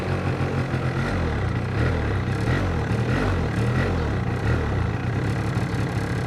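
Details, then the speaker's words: Two-stroke scooter with carburetor problem, electric start, manual choke: low uneven burble stumbles and stalls instead of picking up on throttle; lean mixture. "Вот сейчас у него бедная смесь, смотрите, то есть вы даете газ, и у вас мотор глохнет. Видите, он сейчас вообще никак не хочет откликаться на ручку."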